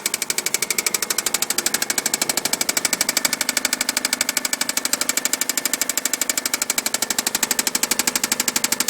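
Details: Subaru engine idling with a rapid, sharp, steady metallic rod knock from worn bearings after being run out of oil multiple times; customer thought it was a belt noise.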